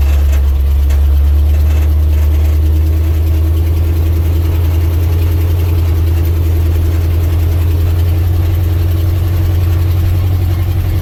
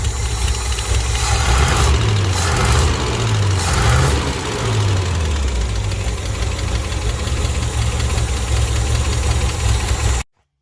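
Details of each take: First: 1967 International 1200 truck after carburetor rebuild, moving out on a rainy day: deep, even, steady rumble with no misses or knocks, running like a sewing machine; normal idle. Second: 1967 International 1200 truck at idle: low, uneven idle with light, quick lifter clatter on top; donut gasket possibly still leaking.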